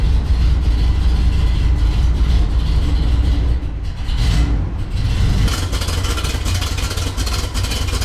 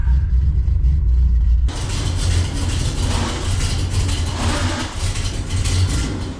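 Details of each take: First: 1974 Corvette 454 V8 on test drive after tune-up with new spark plugs and oil change, previously rough from fouled plugs after winter storage: deep, steady, smooth rumble with no misses or knocks, running great. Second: 1974 Corvette 454 V8 just out of winter storage, carbureted: heavy idle lumps and stumbles unevenly instead of beating smoothly; running really rough, spark plugs found with heavy carbon buildup (fouled), replaced with oil change.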